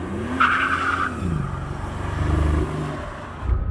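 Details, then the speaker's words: Mercedes CL65 AMG twin-turbo V12 pulls hard in second gear, then sags and stumbles once into boost around half throttle; flashing check engine light, misfires on seven or eight of 12 cylinders, engine shaking. "yep flashing check engine light that's going to be misfire codes on a bunch of cylinders like seven or eight of the 12 cylinders love misfires now great yeah the engine is shaking a little bit it's definitely missing"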